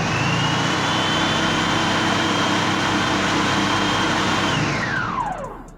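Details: Commercial food processor with lid sensor fault, reassembled with blade and locked, test run: steady whir with even high whine at constant pitch, then smooth coast down at switch-off; motor works.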